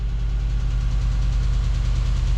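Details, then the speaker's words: 2009 Chevrolet Tahoe 5.3 LS just after oil pump replacement, running without water pump or intake air tube: steady low idle with light fast lifter ticking until oil pressure fills the lifters. "fire it up oil pressure that's what I'm talking about now we need that lifter clatter to go away"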